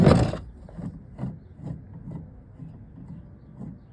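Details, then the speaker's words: Removed original water pump from 2005 Ford Mustang 4.0 V6 with about 200,000 miles, turned by hand; faint gritty rasp repeating a couple of times a second; pump done. "I don't know if you can hear it, but it makes a noise. And it's, I think it's done. I think it's pretty well done."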